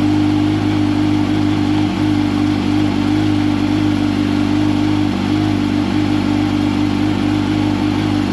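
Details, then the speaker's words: 2005 Yamaha R1 after faulty starter replacement for hard starting, oil refilled: smooth steady mid-pitched drone with a couple of light blips, no stumbling; starter sounds much better, normal running. "oil's back in it let's see how much better it sounds starter sounds so much better one more for good measure"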